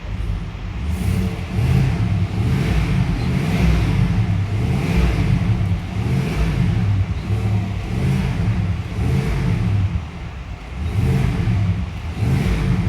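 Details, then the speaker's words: Chevy Suburban, freshly overhauled engine; no misfire at idle, only on throttle; spark on cylinders 6 and 4 fine, fuel delivery ruled out: repeated throttle blips, each rise rough and choppy before settling. Misfire under load. "Kasi kung may problema sa delivery ng fuel to, dapat yung miss pair niya consistent ano lagi-lagi. Kaso ito pag naka-idle siya wala. Pag inp mo lang siya nagkakameron ng mispfire."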